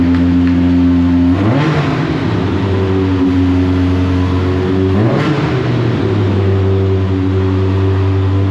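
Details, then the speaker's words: Rebuilt Clemson Deep Orange 9 engine running on starter fluid, held at a steady fast hum rising and falling with throttle blips; won't idle, brick held on the gas, ECU map suspected. "of course it won't idle uh anytime that you saw nobody in the car and it running at a consistent operating Point meant that the a brick was just on the gas"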